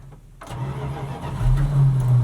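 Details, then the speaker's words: 1977 Dodge D150 Adventurer with questionable carburetor, revived after sitting 12 years, warming up: cranks, catches, runs rough and uneven, surging without settling; stumbling start. "Our carburetor is still pretty questionable. Very. It wants to start, but"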